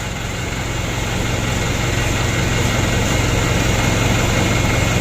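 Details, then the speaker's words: Mitsubishi Canter diesel after injection pump plunger replacement, previously hard-starting and wouldn't rev, now starting easily: steady, even diesel clatter at fast idle, about 3-4 beats per second, no misses or knocks; normal running. "mesinnya sudah muda hidupnya lereng kita lanjut loh"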